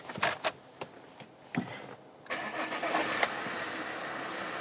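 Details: Alfa Romeo 159 2.4 JTDM five-cylinder turbo diesel, abandoned five years after a timing belt problem, started after clearing codes: a few clicks, then a clean start into a steady, even idle, though it smokes too much.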